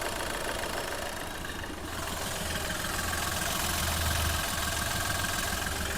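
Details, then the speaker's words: Skoda Fabia with low pickup, oil consumption and smoke, started cold after standing two to three days, engine now slightly warm: uneven idle with recurring stumble and shaking; engine misfiring. "अब बंद होगी क्योंकि engine थोड़ा सा गर्म हो गया मतलब तेल ऊपर चढ़ गया और इंजन देखो मिसिंग कर रहा है। इस तरीके से वाइब्रेट कर रहा है।"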